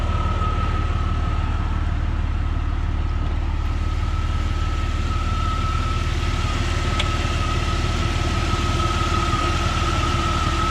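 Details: 2001 Jeep Cherokee XJ Classic, 4.0 I6 PowerTech, AW4 automatic, 125,000 miles: smooth, even low idle rumble with a faint steady accessory whine and no misses or ticks. Healthy normal idle.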